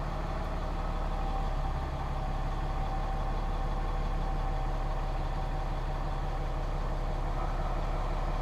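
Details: 2015 Ram 6.7L Cummins diesel after changing both fuel filters, started on the second try after letting the pumps prime: steady low idle, even clatter at constant speed, no stumbles or hunting; idling smoothly.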